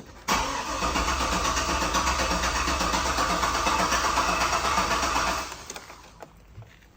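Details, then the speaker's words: Turbo 6.0 L truck on a new 3-bar speed-density tune: the starter cranks evenly, about three turns a second, for five seconds with no firing; cranks but won't start. Possibly far too rich from the new OS, fuel pressure unchecked, not confirmed. "It doesn't seem to be trying anything. I'm going to go over this, make sure everything is good, make sure I have fuel pressure and all that, and I'll check back in a sec."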